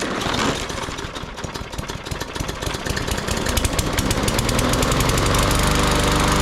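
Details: Yard Machines 21" push mower, Briggs & Stratton 500E 140cc, sat all winter and wouldn't crank; after spring tune-up it catches after a brief crank, then a crisp, steady single-cylinder beat smoothing as speed rises; normal running.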